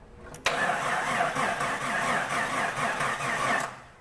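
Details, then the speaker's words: Slow-cranking engine: starter drags it over at a slow, laboured, even rhythm for about three seconds without catching; bad battery and poor battery terminal connection. "but you can hear that the vehicle cranks slow and part of that is the battery connection"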